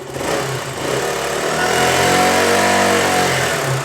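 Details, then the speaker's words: KTM Duke, warm engine over 81°, idling at about 20 psi oil pressure, revved to 5,000 rpm after stator replacement; smooth rev to a steady high hold and back, no knocks, healthy, oil pressure within 20–40 psi. "Bueno, como podemos ver, nuestra motocicleta esta en ralentí y tiene aproximadamente veinte psi (20 PSI) en ralentí, nuestro motor ya esta caliente, tiene mas de ochenta y un grados (81°), vamos acelerar la motocicleta a cinco mil"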